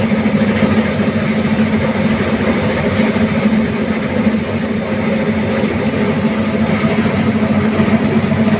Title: Why is the AHU Motor Making Noise? #AHU #AHUMotor #MotorNoise #HVAC